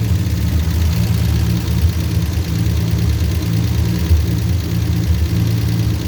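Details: 1949 Studebaker with a customer hard-start complaint: old carbureted six catches after a couple of throttle pumps and settles into a smooth, even, low idle with no misses.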